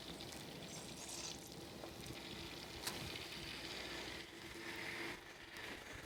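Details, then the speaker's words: Custom PC water-cooling loop after a drain, flush and refill, being burped: soft trickling and gurgling over a faint pump hum, settling as trapped air bubbles migrate out; air in the water-cooling loop. "give it a little more time to get the air bubbles to migrate back around we burp it again"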